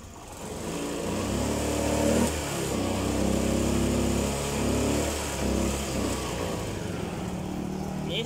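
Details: Honda Spacy FI scooter: small revs stumble, sag and pick up again instead of climbing cleanly; hesitates under throttle. Fuel pump/filter already replaced, pressure near 40 psi; clogged injector suspected, not confirmed.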